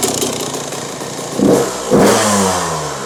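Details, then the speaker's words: 2001 Yamaha YZ125 two-stroke, warmed up, idle and jetting issue: blips then smoother, steadier idle, RPM rising as air-fuel screw is turned about a half turn out; if over 2.5 turns out, pilot jet drops one size. "You can hear that RPM already picked up. We just went about a half turn out."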